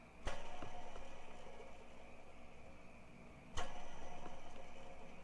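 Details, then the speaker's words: Subaru toothed timing belt idler pulley spun by hand: a whirring rumble with faint rough ticking as it coasts down; some grinding; worn bearing. "I hear a little bit of grinding in there doesn't spin too much doesn't have a whole lot of slop in it comparing the slop in this one to the slop in this upper pulley you can hear a lot of slop in this one very little slop in this one"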